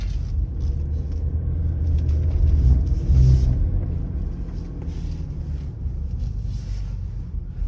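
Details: BMW E60 530d at 20-40 km/h while turning left: deep droning hum with a loose throbbing vibration under road rumble; everything checked and seems OK, source not found.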